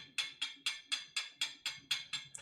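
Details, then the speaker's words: Kei keyboard with gasket moved out of place, shaken: crisp hollow clacks about four a second as the plate's big hole knocks the small peg; harmless movement every Kei has, normally damped by the gasket. "every single k has this movement right now what prevents or helps the sound of this movement is essentially this gasket that will hold the plate in place"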